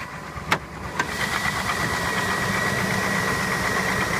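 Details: 1999 GMC Suburban 5.7 Vortec, about 120,000 miles, previously overheated, cold start at 40°F: a sharp tick about twice a second that fades almost away when warm. Owner suspects piston slap versus lifter, wrist pin or rod; unconfirmed.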